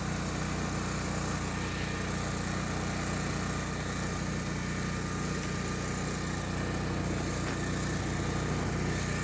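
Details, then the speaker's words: Generac 8kW standby generator run for 30-40 seconds after full service: valve adjustment, new spark plug, oil and filter change, air filter change, battery at 13.5 V; steady even engine speed, regular firing beat, no knocks or misses; runs normally. "I'm gonna fire it up for about 30 or 40 seconds."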